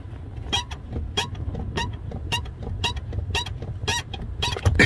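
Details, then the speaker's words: Subaru WRX with the engine idling: a sharp, high squeak on each clutch pedal stroke, from the clutch pedal spring; lubricated with Amsoil Metal Protector as the fix. "so i think the sound is coming from that spring thing right there"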